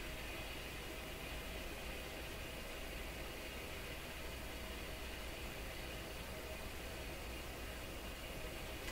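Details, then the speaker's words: Rogers 11RA651 shortwave tube radio, volume turned right down, on a test with a suspected microphonic original tube (6Q7 or 6K7) refitted: only a soft, even hiss, no tinks, pings or crackles. Normal quiet reception. "a little quieter to me the volume is turned right down on this gap no funny sounds no weirdness here"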